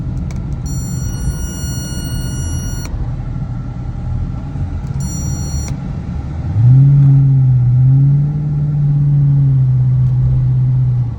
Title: my 2006 dodge magnum started making this weird buzzing sound when i hit the brake pedal. help!